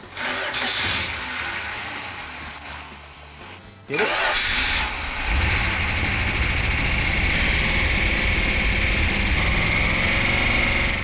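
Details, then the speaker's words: 1971 Dodge Demon (Mr. Norm's car) V8 after resealing a part refitted 180° out: cranks briefly, catches and settles into a steady, even idle; slightly loud at first startup, then quiet, no leaks. "Okay, so the engine sounded really good. They all route a little bit when they first start up, but it didn't take long to quiet it down."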